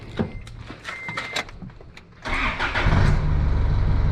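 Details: Isuzu D-Max diesel ute starting right after a new battery was fitted in place of the old one that went flat after sitting; starter spins briskly under a second, fires straight into smooth even idle; normal cranking and start.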